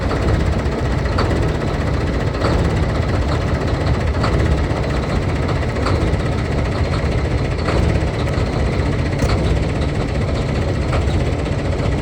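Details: Kenworth quarry end-dump truck diesel after a cold start: uneven, lumpy idle with periodic knocks over a low rumble; rough cold idle, cause not identified.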